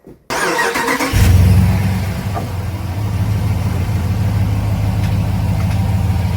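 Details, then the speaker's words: RAM 1500 5.7 L Hemi V8 after replacing cracked factory exhaust manifolds with aftermarket ones: cranks, catches and settles into a steady, deep, even idle; the former manifold tick is completely gone. "Now, we're going to give this thing a kick in the guts, a big 5.7 L, see what she has to offer us. And uh you'll hear very clearly that the tick has completely gone."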